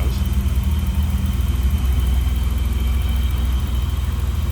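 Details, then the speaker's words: 1985 BMW 635CSi inline six at idle: low steady even pulse, no misses or ticks, smooth running; appears well serviced. "just smooth running. Inline 6 under the hood."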